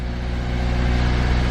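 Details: Older Nissan engine held at around 2000 rpm during self-diagnosis, the check light cycling between rich and lean mixture as expected: steady, smooth engine note with no knocks or misses; sounds healthy under light throttle.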